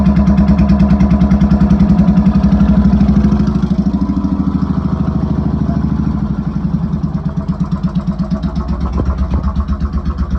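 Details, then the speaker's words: Motorcycle starting with choke fully out and fuel on after replacing a faulty solenoid switch that caused cut-outs; engine catches quickly and settles into an even, steady idle with regular firing pulses, no knocks or misses. "Let's see if it starts. Make sure my choke is all the way out. Fuel's on. Give it a couple twisties. Should fire right up."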